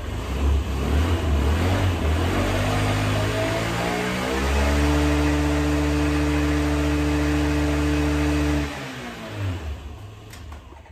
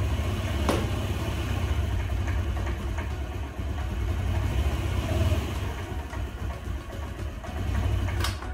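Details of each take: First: 2004 Honda Metropolitan scooter, sat four years, carburetor cleaned and reassembled, before test ride: revs up smoothly, holds an even steady tone, drops back cleanly; runs really good; normal running. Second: 2004 Honda Metropolitan scooter, sat unused four years, sold as non-running: engine starts but idles low, lumpy and stumbling; owner plans carburetor cleaning and fresh gas, cause not confirmed.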